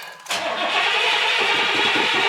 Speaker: That sounds good. Let's let her get a little bit more gas.